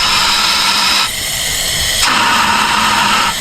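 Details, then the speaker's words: First-generation Honda CR-V B20 engine, leak-down test: a loud steady hiss of compressed air escapes from the exhaust and shifts in tone when the exhaust is blocked. Air is leaking past a bad exhaust valve on that cylinder. "it's forcing it back through here and then out this other cylinder because that one's on the um exhaust stroke so now it's the easiest way out is now here since he's blocking it so we have a bad exhaust valve on this cylinder here"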